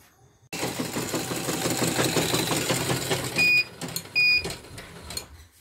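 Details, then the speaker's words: Portable embroidery machine after hook area disassembled and smoothed, first test: fast, uneven clatter at stitching speed with a harsh edge; rotary hook still rough and needs rechecking, though stitching looks neat. "Tapi ini rapi sekali, tapi masih bunyinya agak kasar ya."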